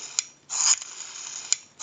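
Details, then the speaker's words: Northern Electric 302 rotary desk telephone, rotary dial tested on an analyzer before reinstalling in the cover: crisp ratcheting wind-up, then a smooth, even whirring return with regular clicks; numbers register properly, normal dial return. "we'll go ahead and dial we have a nice smooth return"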